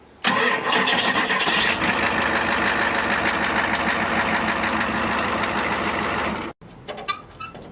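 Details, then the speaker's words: Ford 7.3 IDI turbo diesel with newly installed high-torque gear-reduction mini starter: brisk fast even cranking, catches quickly into a steady diesel rumble held several seconds before shutoff; healthy start. "so guys we got the new starter installed and she cranks pretty [ __ ] fast"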